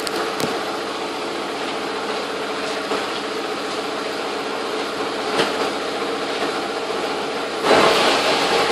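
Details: 2001 Audi A4 B5 AWM petrol engine at idle after a timing belt and accessories job. Light, fairly quick clicking runs through the steady idle; cause not identified.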